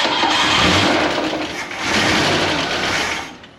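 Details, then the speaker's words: Ford Mustang muscle car sitting since 1993, two-barrel carb, first start on fuel poured in with no fuel pump: catches and runs a few seconds smoothly without knocks or rattles, then dies; engine sounds healthy. "it runs it runs and it actually sounds good it doesn't sound bad at all I mean the engine sounded good"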